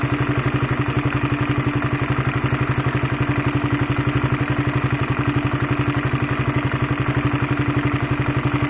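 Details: Honda CB150R at idle, mic close to the engine, before replacing the cam chain with a DID chain: fast, steady sewing-machine clatter, about four beats a second, from a worn, stretched cam chain.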